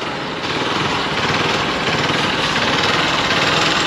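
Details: Hero XPulse Rally Edition motorcycle after a service-centre visit, cold start after riding from home: fast, uneven rattling clatter over the running engine at steady speed; cause not pinned down; abnormal engine noise.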